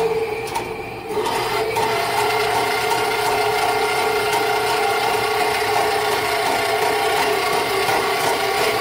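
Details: Rental sewer snake in a home main line, blockage probably tree roots: steady motor hum with rasping, chewing rattle grinding under strain; cutter going hard, won't let the cable be pushed through, eating its way through while given slack.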